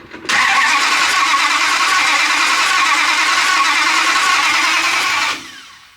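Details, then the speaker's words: V8-swapped Ram 50 just fitted with a new camshaft on the factory valve springs, cranked with ignition off before full reassembly: about five seconds of even cranking with regular compression beats and no knocks. Turns over freely, maybe a little tight. "So, this is the moment of truth. Make sure that she turns over good and that this cam setup is going to work with the factory springs."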